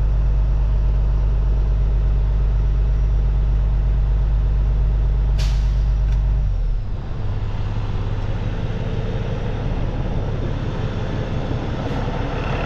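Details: Peterbilt with ISX Cummins CM2250 at about 829,000, after front structure leak reseal and updated common rail pump: steady even diesel idle about three beats a second, brief air dryer purge hiss, then settles lower and smooth; healthy.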